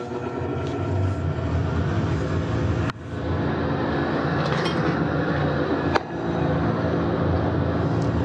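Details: Steam boiler that locks out on low water, with a leaking main air vent found: once lit, a steady, even low burner roar with no sputter, surging or banging; normal burner firing.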